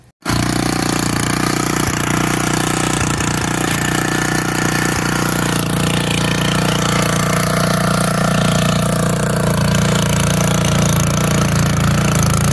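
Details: Old auction-bought Montgomery Ward tiller tilling hard, packed dirt: the small single-cylinder holds a steady, even beat under load with no misses or knocks. Healthy running under load.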